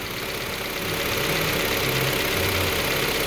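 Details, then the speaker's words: 2012 Kia Forte just after a timing chain replacement, fresh oil change and clearing of two valve timing codes; it fires right up into a steady, smooth idle with no knocks or misses. Normal idle. "i just cleared the codes out of it the two valve timing codes so i'm just gonna you can fire it up right off sounds as it should"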